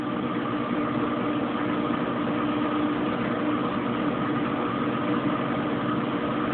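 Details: Kenmore Oasis top-load washer being repaired for an OL code: smooth even drone with constant tone, no knocks or surges; normal high-speed spin.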